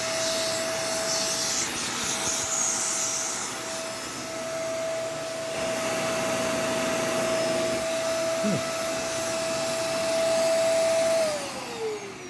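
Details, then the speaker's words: Dirty donated vacuum with split part running about eleven seconds, then shut off: steady high motor hum that sounds strained on suction, owner suspects a clog; brush roll still spins, so no new power head needed. "But, yeah, sounds a little strained on suction, probably a clog. Brush roll does spin, though, thankfully, so it doesn't need a new power head."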